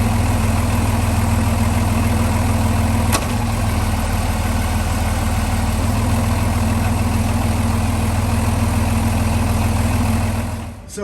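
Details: Boat Velvet Drive marine transmission, clunk being investigated with the engine mounts getting old: low even idle, one sharp clunk as it drops into gear, then the engine settles slightly lower; the spline coupling had loosened before, cause not confirmed.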